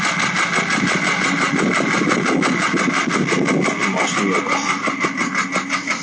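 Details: Porsche 996 late-model 911 Carrera 4, about two months and 2,000 km after the noise began: steady tapping about three times a second over idle, a deep internal engine noise; noise vanished off-throttle, first suspected fuel pump, engine needed replacing.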